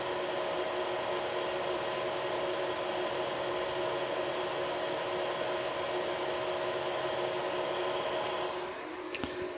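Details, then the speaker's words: Creality CR6 SE 3D printer with stock control-box fans, mid-print, about 64–65 dB: steady, whiny fan hum with fixed tones. The X, Y and Z stepper motors are very quiet; the fans make the noise. Noisy stock cooling fan. "you can hear the uh the motors the x y and z mowers are all very very quiet it's just the fans that are generating the noise"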